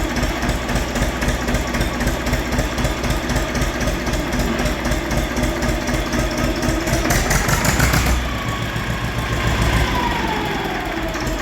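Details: Diesel machine idling: a fast, uneven rattling crackle that holds steady with engine speed, from the dynamo. Its bearings are broken and the pulley has play, and it is charging poorly.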